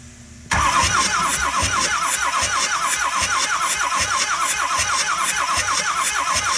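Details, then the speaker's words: 2006 Ford F-350 6.0L diesel that won't run, cranked for a compression test through the glow plug hole on the fourth driver's-side cylinder, reading barely over 300 psi: steady chugs about three per second, never fires; owner suspects a head gasket or injector seals. "okay now we're on the third one back and we're gonna go ahead and crank this over and see what we get"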